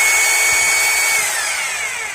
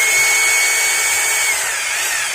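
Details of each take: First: Maktec MT870 rotary hammer drill that won't hammer-drill concrete, powered up in plain drill mode: steady high motor whine with no hammering thumps, smooth rotation easing off at the end. Normal plain-drill sound. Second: Maktec MT870 rotary hammer drill that won't drill concrete, switched to concrete (hammer) mode: smooth, high motor whine that slowly sags, sounding the same as drill mode, with no impact blows. The hammer action is not engaging.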